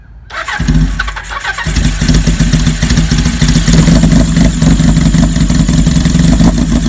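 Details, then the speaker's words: 1979 Kawasaki KZ1000 LTD four-cylinder (Mk2 head) in a 1974 Z1 chassis, long-stored, carbs cleaned, new plugs and battery; fully cold start on full choke: brief crank, catches to fast steady choke idle with slight lope, healthy cold start. "so now the bike is perfectly cold so what we're going to do is are going to put the choke all the way up"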